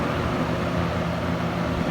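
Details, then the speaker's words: 1970s Kmart Lakewood K-223 20-inch box fan with Marco motor on high: even, steady hum and airflow rush, no knock or scraping; knock on low cured by a new spacer, runs smoothly. "but thanks to a new spacer that sound is gone and runs smoothly back to high"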